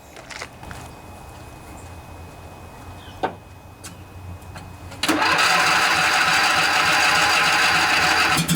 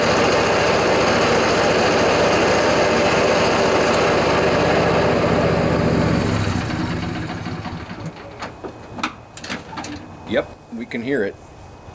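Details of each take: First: John Deere LA145 riding mower, 48-inch deck, after deck bearing replacement, blades engaged: quiet start then a steady, even hum with no grinding or rumble; much quieter than before, deck sounds normal. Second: John Deere LA145 riding mower, 48-inch deck, cold 35-degree morning, blades engaged, customer reports much more noise: loud rough grinding drone then wind-down; worn deck spindle bearings.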